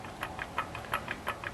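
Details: Turbo on a GM truck engine ready to be pulled, said to have worked perfectly on the drive back from Phoenix; light metallic ticks about six a second with nothing running, showing loose shaft play.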